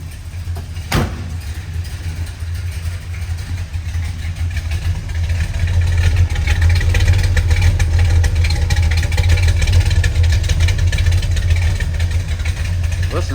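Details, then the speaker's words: 1967 Plymouth Satellite big-block V8 at healthy idle, recorded at the tailpipes: a deep, steady, lumpy rumble with an even firing beat; normal idle. "Cool, I'm gonna hop out and let you guys hear this rumble coming out of the tailpipes."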